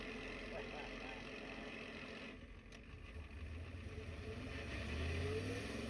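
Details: Diesel truck with newly installed ZF5 manual transmission, idling at a stop sign: loose, uneven gear rattle under engine beat; severe manual transmission gear rollover rattle.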